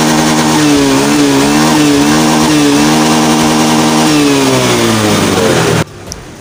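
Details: Scopy scooter after repair for sputtering, bogging and frequent stalling: buzzy single-cylinder note holds steady with small pitch rises, no stumbling or cutting out, then stops; runs normally.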